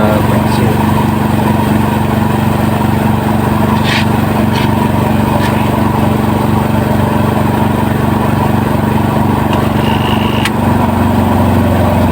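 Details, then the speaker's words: Washing machine spin dryer after the load was pressed down and evened out to fix a thumping unbalanced spin: even, steady spinning hum with no thumping or wobble, drum fast and balanced. "ya coba kalau bunyinya seperti ini ya halus halus dan putarannya itu kencang sekali ini sudah"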